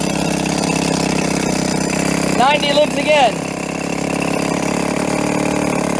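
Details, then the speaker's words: 1990 Evinrude 3.5hp two-stroke outboard, tuned up with Champion J4C plugs after having no spark: buzzes at a steady, even idle with no misses or knocks; runs smooth and healthy, low on fuel. "very smooth uh it's going to crawl it's gonna have a nice height"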